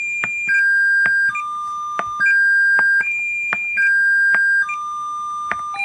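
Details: Double Dragon JAMMA arcade board with no sound, 1.2 kHz signal generator fed into amplifier input: clean steady tones through speakers, faint clicks, no distortion or hum; amplifier healthy, fault lies upstream in sound circuitry.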